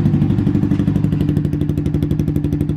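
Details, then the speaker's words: A Honda Twister 250 with a Fortuna exhaust has its silencer packing (glass wool) burned out, as Fortuna packing tends to within about six months, leaving only a bare pipe. The idle is loud and hard-edged, with sharp, even, unmuffled exhaust pulses. "o que é isso rapaziada sem condições galera né que liga vocês estão vendo o estado da do escapamento né tá só o cano porque galera que é a fortuna tem esse mal galera com o tempo assim mais ou menos seis meses todo além de vidro dela queima e sai"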